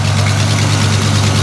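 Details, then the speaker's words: Square-body truck V8 after fitting a new ignition lock and neutral safety switch, choke just came on and idle dropped: deep, even, steady rumble with no knocks or misses, healthy normal idle. "yeah baby listen to it run this is awesome loving this oh yeah this is awesome"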